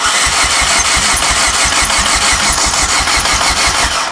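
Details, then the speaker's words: 2008 Chevy Aveo no-start with oil previously in the coil boot holes: steady starter whirr with an even chug about three times a second, never catches; compression about 25 rising to 150 with oil, combustion pressure leaking into the cooling system. "But what led me here as as we cranked it and you let off I heard a which was combustion pressures leaking out of the cooling system. Crank that again. Just watch this. You should never see this."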